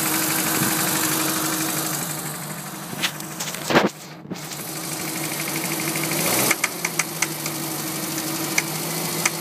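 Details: Mini petrol engine idling with a steady hum and repeated sharp knocks over the top.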